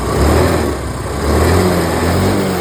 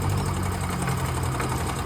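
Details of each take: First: Yamaha Ray ZR scooter after carburettor slide refit (slide pin was broken), kick-started on a weak battery: small engine picks up cleanly on quick throttle blips and returns to smooth idle; now revs fully where before it would not rev, pickup problem solved. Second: Yamaha Ray ZR scooter after carburettor slide refit (slide pin was broken), kick-started on a weak battery: slow, lumpy idle close to stalling; idle set too low, to be adjusted up so it doesn't die.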